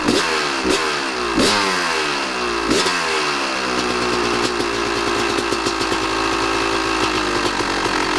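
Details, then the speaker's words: 1998 Kawasaki KX250 two-stroke, top and bottom end rebuilt, ran poorly for six years with a runaway idle and dieseling, suspected air leak past the crank seals; after the fix it blips crisply, then settles into a steady, even idle with no stumbling. Sounds better. "oh that sounded better what do you think we got it"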